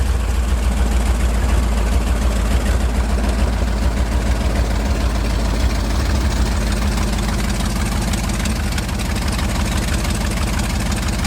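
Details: 1971 International 1890 plow truck abandoned since 2001, revived after carb rebuild and new fuel line. Deep, steady low rumble holding an even idle without stumbling; normal idle.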